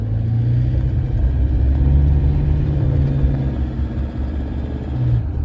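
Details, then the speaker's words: 2014 Toyota Hilux diesel, 47k on the clock, driven cold: deep rumble with a hard, hammery clatter growing under load around 2000 rpm; a bit noisy, cold engine, injectors suspected but not confirmed. "it's got the hammery radally thing not bad like that it's a bit of a clatter you've got to get a little more a little bit more loading ribs up around the 2000 or so it's clattery"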